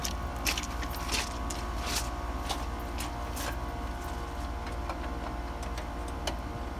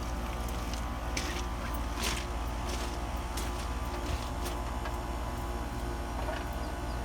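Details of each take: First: ICP builder-grade AC unit with slow-starting compressor, after adding a hard-start assist: starts instantly, steady low hum with constant tone and faint ticks, no labouring; running smoothly though earlier-than-normal compressor failure expected. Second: No-cooling call on an ICP builder-grade AC: the compressor hums heavily and clatters, labouring to start without picking up speed, drawing about six and a half amps; hard-start assist is being added, and early compressor failure is expected.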